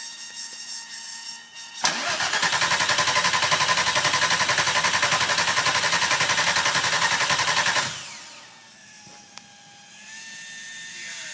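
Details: VR6 24v (VRT) with Unitronic-chipped ECU, new engine harness, stock VR6 throttle body and MAF: starter cranks evenly about four beats a second but never fires; no spark at coil packs, VAG-COM shows ECU power supply relay fault 17925/P1517.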